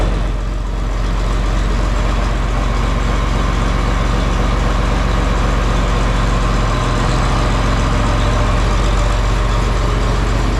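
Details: John Deere 4020 tractor just started on a battery charged overnight and left to heat up, in the shop for a hydraulic leak up front. A deep, even diesel chug at steady idle with no knocking or stumbling. It is running healthy while warming up.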